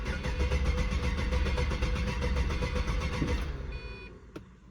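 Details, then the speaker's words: Pontiac GTO with a fuel pump problem, idle fuel pressure 50–55 psi: engine runs rough for about three seconds, then sags and dies when given throttle; owner suspects fuel pressure drops on throttle (unverified). "it idled pretty good but every time I tried to give it some gas uh it would get ready to die"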